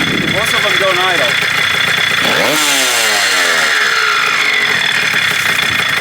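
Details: 1987 Kawasaki KDX80 two-stroke on fresh premix, first start during restoration of a non-running bike: high-pitched buzz sweeps up and down with throttle blips and won't hold a steady idle on its own.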